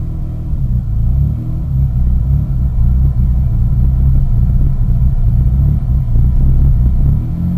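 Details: 2001 Mitsubishi Eclipse GT rough cold-start idle: low rumble surging and dipping unevenly a few times a second; idles normally once warmed up, cause unknown.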